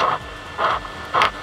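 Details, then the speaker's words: Philips Raag 2-in-1 tape recorder radio (FM/MW/SW) with audio playing: hiss with scratchy crackling bursts about twice a second as tuning is turned; worn tuning gang capacitor, hard to source. "देखिए ये gang चलने के साथ साथ ये खिचड़ खिचड़ आ रही"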